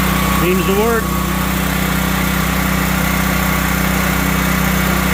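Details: Duromax XP12000HX generator, which previously backfired and would not restart, after fitting an NGK BPR6ES spark plug and a new gas hose: engine catches and settles into a steady, even drone with no popping or misses, running smoothly on restart.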